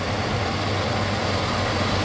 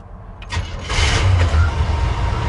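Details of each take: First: 1972 Chevy C20 truck V8, warm, newly fitted with FiTech Go Street EFI: idle steady but too high from the idle screw being in too far; backing the screw out drops it to about 900 rpm. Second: 1972 Chevy C20 with new FiTech EFI and HEI ignition, fairly cold start at about 80 degrees: short crank, immediate catch, settling into a deep steady rumble with idle slightly high; clean quick start.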